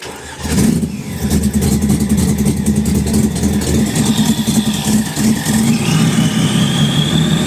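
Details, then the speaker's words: Supercharged Honda NSX with 6-speed manual conversion, first start with new custom exhaust and boost gauge fitted; engine catches and settles into a strong steady run with rising supercharger whine, high oil pressure, healthy. "the blow from that supercharger is absolutely insane absolutely insane"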